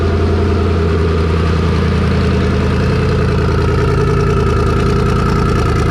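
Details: Engine on dyno under load at high revs: steady hard running with rough, uneven breakup, a misfire; plugs re-gapped from about 0.019 to 0.016 in, owner suspects valve float, possibly stock valve springs, not confirmed.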